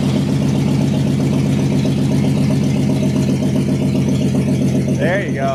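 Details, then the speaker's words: 1969 Chevy C10 half-ton short bed, burned and sitting 40 years, after cleaning points, rotor and cap, fitting new plug wires and gravity-feed fuel: steady, even idle on its own with no misses. Normal running. "Man, that's better. I wanted to hear an idle on its own."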